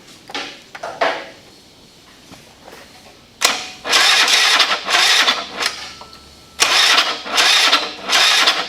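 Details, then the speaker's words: Honda Elite 80 (CH80) scooter, 11,000+ miles, first start after rebuild following catastrophic engine failure, totally cold engine at 32°F: little single catches in loud ragged bursts, revving up and dropping back twice, not yet settling; cold start. "this is a totally totally cold motor you know it's 32 degrees here today"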